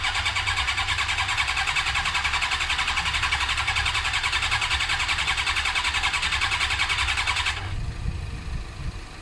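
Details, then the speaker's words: Suzuki GSX-R cranking with brake cleaner sprayed in as starting fluid: steady fast starter whir with even compression pulses about three and a half a second, never catching; no spark, later fixed with a replacement ignition unit containing the resistor. "but obviously the main main thing here is that it didn't have spark and we've got to work out what's going on there"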